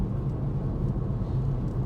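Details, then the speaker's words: VW Corrado VR6 driving home after repair of a horrible clicking and trembling fault: low, even engine rumble under way with no shudder or jerking; running smoothly as it should. "It hasn't done any of this trembling thing, doesn't jump, it's smooth like it's supposed to be,"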